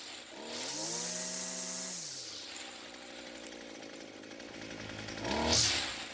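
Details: Echo SRM 230 two-stroke trimmer after repair (correct ignition coil and new carburetor fitted): revs up to a high steady scream, drops back, then blips again cleanly; runs and revs normally.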